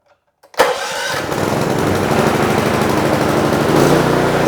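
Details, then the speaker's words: Predator small engine with an HFS remote start module, fuel on, choke on, before repair: it catches at once on choke and settles into a busy, slightly uneven run. It only starts with choke; a dirty carburetor was later found and cleaned. "But it's kind of eliminating my remote start function if my carburetor requires me to choke it every single time."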